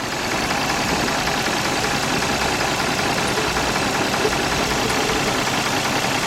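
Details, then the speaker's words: 2004 Nissan Maxima 3.5 with pending P0306 cylinder 6 misfire code: rough idle with irregular thump and stumble in the exhaust note, engine visibly shaking; cylinder 6 dropping out from a failed ignition coil. "on pending we got a p306 cylinder 6 misfire detected let me start this up for a minute oh yeah now you go outside and look at the engine and see if you can see the engine's kind of shaking"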